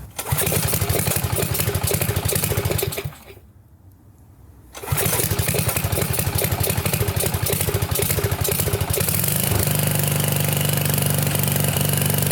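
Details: Trashed Sears Craftsman pressure washer, 6.5 hp Briggs OHV, 2500 psi 2.7 gpm pump, recommissioned after no-run: cranks and fires on choke at mid throttle, stalls briefly, restarts on full choke and settles into a steady, even run.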